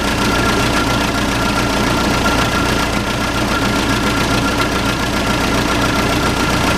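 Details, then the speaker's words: Case 580C backhoe diesel, unrun for 10 years, started on ether with no coolant: loud, steady clatter at even idle, about three to four beats a second, no misses or knocks; healthy normal idle. "it runs. Sounds pretty good too."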